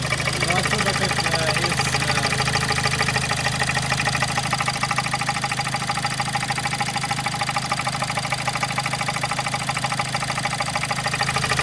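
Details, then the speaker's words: Kia Sportage 1.7 CRDI D4FD diesel, 15,000 km, idle with oil filler cap open: louder clatter, steady knock about three per second, some blow-by escaping the filler; dealer suggests injectors, unconfirmed; diesel knocking. "А сейчас откроем крышку горловины. Итак, мы видим звук и даже часть выхлопа выходит."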